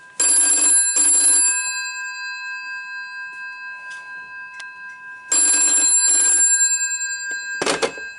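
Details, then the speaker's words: 1968 GPO 746L telephone on a PBX: bursts of fast metallic bell trill in pairs with pauses, clean and even; normal telephone ringing. "Now I'll ring this one. It won't ring in a double ring. I don't know if I'll be able to do a double ring either."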